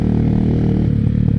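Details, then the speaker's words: 2005 Honda FTR223 single with aftermarket exhaust and air filter, started without choke: deep, even thump with steady beat, no knocks or rattles; engine sounds strong and healthy. "Off she goes. She sounds brilliant."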